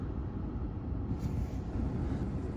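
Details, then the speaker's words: 2003 Audi A3 2.0-litre petrol (owner thinks FSI), 52,000 miles, unrun for 10 years, warm after 5 minutes and revved: deep, even rumble with no knocks, ticks or rattles, sounds healthy. "Okay, so been letting it warm up for 5 minutes, nice and warm. Let's give it a little rev. God, it sounds pretty good."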